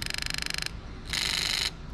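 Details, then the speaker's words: JZ modular harness with ECUMaster Classic ECU for a 1JZ-GT-swapped IS200, tested with ignition on and 12 V applied, engine not running. Rapid buzzing ticks, a pause, then a steady whirr: the idle control valve motor works normally. "there you go fantastic so we can see the idle control valve motor works there"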